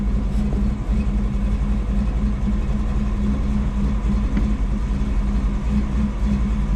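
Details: Ford 7.3 diesel, sat for years, rebuilt turbo, cold start using ether after glow plug wait and air cleaner boot removed; deep rumble, slightly uneven beat at low idle, steady, hard cold start.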